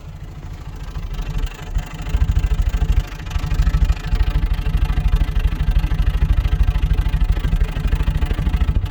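Low idle thump at about three beats a second with an uneven rhythm and an occasional dropped or stumbling beat; intermittent misfire.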